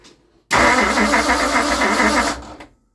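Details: 1960 Ford Starliner with 360 FE Tri-Power engine: two seconds of fast, even starter whirring with steady compression pulses that never catch. The owner is unsure of spark and plans to check firing order and points. Cranks, no start.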